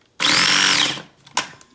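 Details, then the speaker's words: Cuisinart Mini Prep food processor with a piece of cucumber jammed under the blade hub: a short high motor whir under a second sags and stops, then a knock, as the wedged food drags the blade. "If there's a lot stuck under there, it's not gonna work. I can kind of hear it. I think that piece is stuck underneath."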